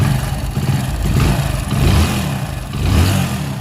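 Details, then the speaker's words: Hero 100cc single-cylinder motorcycle after engine, clutch and timing chain rebuild and bearing replacement, revving in neutral; tappets deliberately left slightly loose, faint tappet tick; smooth rise and fall with throttle, no knocks or rattles; normal healthy revving. "तो आपने guys आवाज सुना बहुत ही प्यारी आवाज है थोड़ा race करके हम आपको दिखाते"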